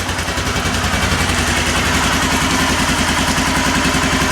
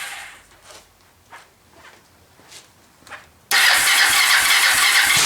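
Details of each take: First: Kawasaki Lakota 300 after top-end rebuild, crank turned 180 degrees before refitting the cam: steady even single-cylinder idle about 3.5 pulses a second, no misses, pops or top-end tapping, no smoke; valves set well. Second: Kawasaki Lakota 300 single, first start after top end rebuild, in neutral, on choke; weak cranking puffs then harsh ragged running that catches, cuts out and restarts; cam timing later found 180 degrees out.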